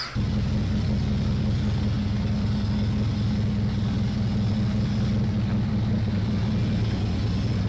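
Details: Sherman Firefly tank engine, rebuilt twice after overheating traced to the gasket lining, started after cranking: a deep, steady low rumble at an even pitch with no knocks or misses; idles cleanly.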